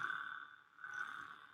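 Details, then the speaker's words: DJI Ronin-S gimbal in a quiet room giving a steady, thin high-pitched buzz that swells slightly from motor vibration; the cause is unknown, though others suggested inverted mode was entered wrongly. "vibration going on so and listen people were telling me that I didn't read the manual or whatever"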